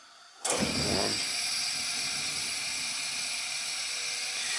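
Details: Gas space heater that was not heating, after its thermocouple was replaced: a soft whoosh as the gas catches, then a steady, even hiss-roar with no popping; the burner lights and runs properly, though the gas valve could still be faulty.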